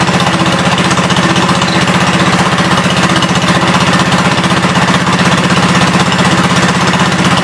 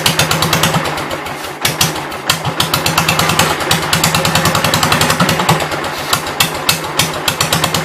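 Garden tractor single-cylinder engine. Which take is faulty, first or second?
second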